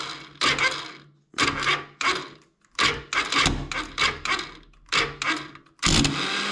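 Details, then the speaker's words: Alpha 110 quad bike engine starting: repeated short cranking attempts with a dry ratcheting crackle as the starter slips instead of biting. Cause found in the starter overrunning (one-way) clutch, where a spring stuck; the chain rollers were also worn. "итак стартер у меня трещал я нашел в чем причина"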